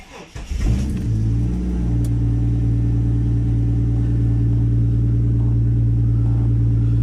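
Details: Jeep Cherokee XJ with Ford Barra 4.0 turbo conversion, first start: a brief crank, clean catch, then a steady low smooth idle with no ticking or misfire. Oil pressure, turbo oil feed, volts and fuel are all confirmed good.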